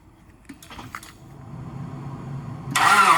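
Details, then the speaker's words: Car left overnight in extreme cold with a failed block heater, jump-started with a GOOLOO GT4000S 4000A pack on boost: slow weak cranking for a couple of seconds, then catches and runs strong and steady. "Able to start it. All right, you guys should be able to hear it. My car is running."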